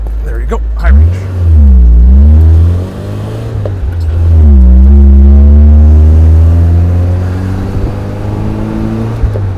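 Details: Off-road vehicle test drive after new clutch fitted, foot to the floor: engine pulls hard and climbs steadily in pitch with no slip or shudder, brief tire squeak from the ratcheting locker; clutch engaging cleanly.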